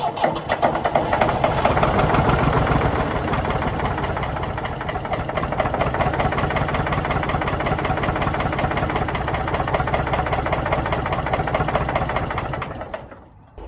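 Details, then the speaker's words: Previously seized Ford 4000 diesel tractor: steady starter churning about four beats a second never catches, sagging as the battery goes flat; fuel reaches the injector inlets, owner suspects not enough fuel in the cylinders yet. "I think it's just the fuel just isn't getting through the pump yet through the injectors. I've got fuel at the injector inlet point. I just don't have it in the cylinders enough yet."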